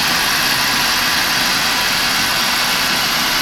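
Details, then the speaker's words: Burnham Becket oil boiler with Riello electronic igniter, test-started after changing oil filter and screens and cleaning the nozzle: even, steady roar with no pulsing or sputter; burner holds a clean, stable flame with very low smoke. "here she's been running continuously nice and strong nice and clean she's getting a clean amount of fuel"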